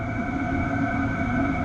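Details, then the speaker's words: Hcalory TB1-SE diesel heater slowing down to level 3 via the app, in 8°C ambient air; smooth, even whirr with a faint steady whistle and no rattles or surging, running normally on low. "Okay, I can hear it. I can hear it cooling down. So it's definitely slowing down to 3."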